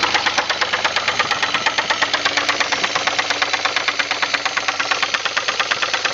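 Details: 2000 Pontiac Grand Prix GT with the 3800 engine running: a sharp, regular, loud knock at about three beats a second; severe internal engine knock, cause undetermined.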